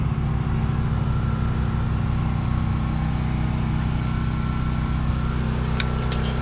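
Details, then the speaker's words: Duromax generator already running air conditioner and refrigerator, with microwave idle, as the well pump is switched on: steady drone dips and labours as the pump starts ("made it grunt"), then holds speed and carries the load without stalling. "this ought to make it grunt we will turn on the well water oh yeah that that made it"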